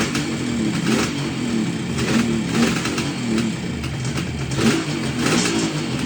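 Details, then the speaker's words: 1969 Kawasaki H1 two-stroke triple barn find, running after sitting 30+ years, recommissioned with cleaned carbs: crisp revving that falls back cleanly, steady firing with no misses or knocks; normal running. "Oh, that sound good or what? Wow. Amazing."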